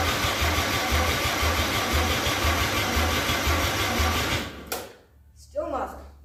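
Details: 261 straight six being prepped for first start, fuel poured in carb: even cranking beat about two pulses a second for four seconds, never catches before starter quits; cranks but won't start.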